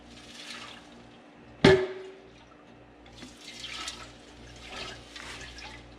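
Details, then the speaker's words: Craftsman oilless air compressor stored a year and a half in an unheated unit with a faulty drain valve: a thump, then slow irregular sloshing as the tank is tipped; condensation water is trapped inside the tank. "hear that water sloshing around in there so this thing has been stored uh in an unheated you store for about a year and a half"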